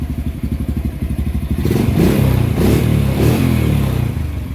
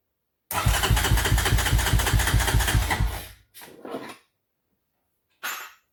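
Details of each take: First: Honda four-wheeler after carburetor work, which previously would not start or run nicely: even single-cylinder thump at idle, then picks up cleanly into a smooth rev and settles back; runs healthy. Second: 1993 Honda TRX 300EX with a size-40 idle jet replacing the original 38 and the air box removed: single cylinder fires at about two and a half beats a second, uneven and stumbling, then dies; idle raised but still not right.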